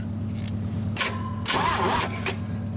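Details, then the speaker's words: GMC 305 V6, first start in years: steady low starter drone with a few louder surges but no catch, cranking to pull fuel up into the dry carburetor bowl. "now we're gonna crank it over and see if we can at least get some fuel up in there in the bow"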